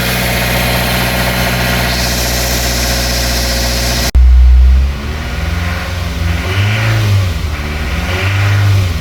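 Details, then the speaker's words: 2008 Suzuki SX4 2.0L J20A 16v petrol engine after starting, revved repeatedly: bottom-end rattle rising with each rev from worn connecting rod bearing; rod bearings and head gasket to be replaced. "so this car had a bad rattle noise uh the bottom in it's a baring noise when we start it"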